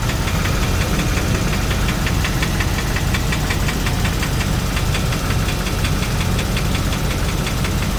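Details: 2001 Land Rover Discovery 2 aluminum engine at idle: sharp, fast regular clicking about two per second, louder from underneath; a machine shop advised a head problem needing sleeves, unconfirmed; oxygen sensor check engine light on.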